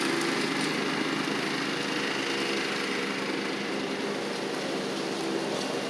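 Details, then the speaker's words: Toro Proline walk-behind mower, Kohler Command engine, after carburetor, spark plug and blade work: steady fast single-cylinder patter, no stumbles or surging; owner notes it runs a little rich at idle. "idle it down a little bit. It does run a little rich at idle, but very pleased with how this turned out."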